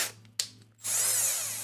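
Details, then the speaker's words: Power drill driving a buffing wheel for waxing: it spins up with a harsh, gritty rasp over the motor whine instead of a clean hum. Owner suspects the drill's gears have failed. "I don't know if you can hear that grinding but um that's the gears of my drill I think it just just went on me"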